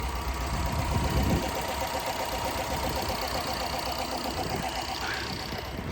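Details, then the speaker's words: Fully restored 1956 Ford Thunderbird, 312 V8, timed, aftermarket exhaust: even steady low rumble at idle with no misses, knocks or hunting; normal smooth idle. "He used it in Florida, obviously, but the car has been up here for a couple of years, so it does idle nice."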